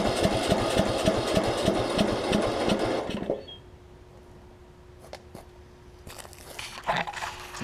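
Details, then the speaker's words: John Deere LA105 riding mower, sat a long time, after draining the tank and cleaning the carb, on starter fluid: about three seconds of even cranking, no catch; owner suspects lost spark (unconfirmed). "so I've had it running for a quick second there now it seems like it's not getting any spark anymore possibly let's see okay so I know I'm getting fuel in there and I know it's just running on starter fluid at this point"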